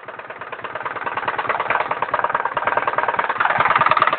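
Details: Irbis Virago 110cc moped four-stroke after ring and valve stem seal replacement, valve clearance and timing set correctly: quick uneven knock about three per second at idle, rising with speed; pulls fine, source unknown.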